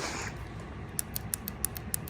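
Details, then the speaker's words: Stuck fuel injector from cylinder four, run on E85 that attracts moisture in cold weather, freed by tapping on the bench: sharp crisp ticks about three to four times a second as it opens and closes freely. "it clicking oh yeah you can even see it a little bit zoom in there oh yeah yep we got it so it's free now"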